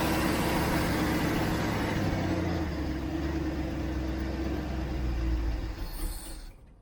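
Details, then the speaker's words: 1967 Mustang after months sitting, first start, idle speed raised: rumbles briefly and unevenly then dies; running only on accelerator pump shots, carburetor float bowl found empty, fuel starvation. "Make sure the float level is where it ought to be and not stuck. Because it sounds like it's running off the accelerator pump shots I'm giving it and nothing else."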